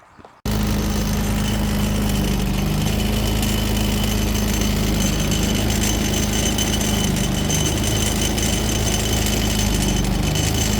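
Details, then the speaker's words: Predator 3500W generator running: steady drone with a fast metallic rattle and faint ringing from the wheel locking mechanism's pin and plate, rattling the whole time the wheels are locked. "but even even when the wheels lock it makes a racket it rattles the entire time generators running"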